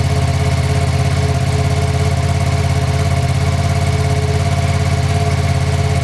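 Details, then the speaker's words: Brand-new 2025 Ducati Panigale V2, first quick startup just after uncrating, assembly and ECU updates: strong, regular twin-cylinder idle at about three pulses a second, even beat and steady lope; normal healthy idle. "Without further ado, I think I'm just gonna give it a nice quick startup and let you guys listen to it for a little bit."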